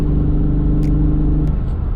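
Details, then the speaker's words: Car with Takeda intake, piston rings previously redone for burning oil: deep, uneven, lumpy rumble at idle, whole car shaking; running rough, cause not confirmed. "thing runs like crap. Like you could feel the whole car just shaking."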